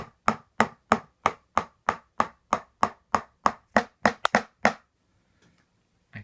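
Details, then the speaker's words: Rock Band 4 drum set warranty replacement: about fifteen even strikes on the red pad, each with a sharp clacky buzzing rattle instead of a clean thud; loose rattling pad. "messing with it I can't quite get the red pad to not make that ratalie sound so I might be sticking with the original peeling set"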